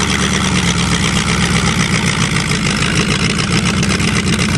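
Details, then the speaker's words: Hydrolocked Chevrolet, engine almost seized after 7 months with water in it, cold and given more choke: a fast, slightly lumpy idle with a deep rumble. Normal cold idle on choke. "little more choke when it's cold"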